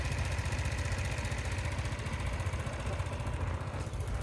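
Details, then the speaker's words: Sym Jet 14 fuel-injected scooter with idle raised as emergency fix so it doesn't stall off throttle: slightly fast uneven throbbing idle; symptoms like air leak or valve, but hoses and valves checked OK, heat suspected. "das war jetzt nur eine Notfallmaßnahme um nach Hause zu kommen dass der Roller nicht jedes Mal wenn ich vom Gas gehe ausgeht also so schaut es jetzt aus das ist jetzt natürlich mit der leicht erhöhten Leerlaufdrehzahl"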